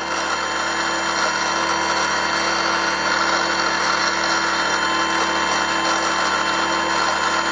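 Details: Brushless out-runner prop motor on a Skywalker RC model, running at constant speed during in-situ balancing with tape trial weight applied: steady high whirring drone with a faint throb; rotor still out of balance.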